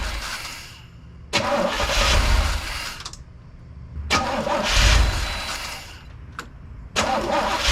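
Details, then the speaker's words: 1983 Trans Am Crossfire throttle-body engine, idle air control passages blocked off and unplugged for adjustment: repeated start bursts settling into a low, uneven idle that dies back, as the computer can't control idle speed. "now when you fire it up it's going to run a little crappy um because it's not the computer doesn't have anything to control the idle speed so it's going to start down really low"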